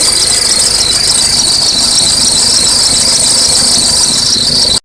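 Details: Acura RSX at cold start: a shrill, cricket-like chirping squeal from under the hood. It seems to come from the accessory belts next to the power steering reservoir. The belts looked alright, and the cause is unconfirmed.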